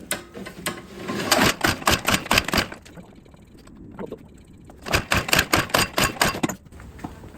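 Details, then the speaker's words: Snow blower that sat all spring and summer with ethanol gas, fuel already changed, no air filter: two bursts of recoil pull-cord clicking with no firing; cranks but won't start, fuel not reaching through clogged carburetor. "I'm going to try a trick I'm going to pull the fuel line from The Purge bulb to fill the carburetor with carb cleaner and then see it does run I just got to find out where the fuel's not getting to"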